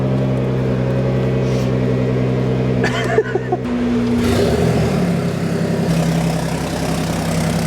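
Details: Ford Raptor cold start: far too loud, raspy, blatting exhaust roar over the idle; leak at the downpipe (dump pipe).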